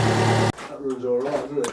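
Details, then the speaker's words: Rebuilt Fiat Doblo four-cylinder diesel after snapped timing chain and rocker replacement, running with no exhaust fitted: catches and settles into loud tractor-like even rumble, no knock; compression on all four cylinders, normal idle. "It's running like a Well, it sounds like a tractor cuz it's not got the exhaust in, but it's got compression across all four cylinders, and it's not whizzing and woring and crashing and banging."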